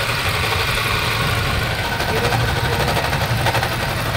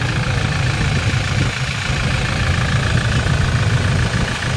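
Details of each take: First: 2020 Toyota Innova 2.8 diesel (1GD) with a noisy engine, checked before confirming with a stethoscope: rough gritty hiss and rattle constantly over the diesel idle; worn alternator bearing suspected, which is common on these engines. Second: 2020 Toyota Innova 2.8 diesel, restarted after repair: steady deep idle with even low rumble, the earlier scraping noise gone; normal idle after replacing the worn front alternator bearing.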